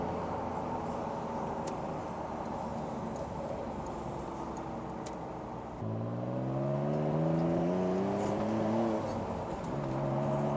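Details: 1995 Mitsubishi 3000GT VR-4 Spyder, 13,000 miles, coolant temperature good, fourth gear on the highway to 60: smooth even note climbing steadily, no surging or flutter; normal turbo acceleration.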